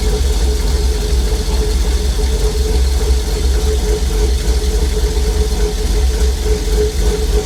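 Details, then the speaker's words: 1950 Chevy cabover, LS-swapped V8, first start after VATS anti-theft delete: deep steady idle, even low rumble and constant hum, no knocks or misses, runs healthy; oil pressure gauge maxed at 130 PSI, sensor suspected bad. "That thing fired up right now. Damn, she sounds good."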